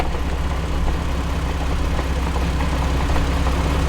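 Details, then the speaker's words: 2006 Jeep Wrangler TJ Rubicon, NSG370 6-speed: quiet at idle and in third, but a steady low growl/drone appears in fifth gear and grows louder; output shaft bearings suspected, not gears, unconfirmed. "okay i definitely got some sound in fifth gear now okay oh wow so it i i gotta tell you i think it's the bearings"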